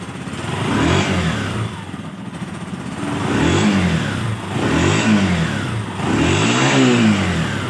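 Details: TMX Alpha motorcycle with a hard-starting problem: the engine picks up cleanly through several quick blips and settles back each time, revving freely and evenly with no misfire or hesitation; normal revving.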